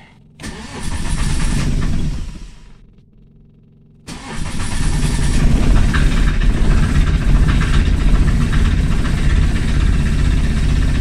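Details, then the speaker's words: Microcar (voiture sans permis) engine, cold start in cold weather after glow preheating, with its second head gasket replaced and long-standing cold-start trouble: it catches and dies within about two seconds, then restarts to a rough idle. "faut savoir qu'il fait pas chaud cette voiture là elle a toujours eu des petits problèmes de démarrage à froid c'est ça c'est pas d'aujourd'hui"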